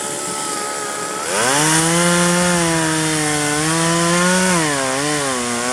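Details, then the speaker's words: 1997 Poulan 2150 two-stroke chainsaw, about 23 years old, probably a 16-inch bar cutting a roughly 20-inch tree: drops to a steady loaded pitch, wavering and bogging slightly; cut ran at an angle, owner suspects chain sharpened on one side only, alternate teeth dull. "well it went through at an angle which probably means is i sharpened it on one side before i broke the file so i'm probably dull on one alternate teeth"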